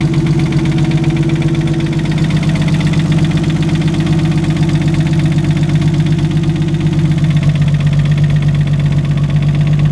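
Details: Nissan RB25DET engine at steady idle with a regular low knock about four times a second under the exhaust note, suspected rod knock; engine knock at idle.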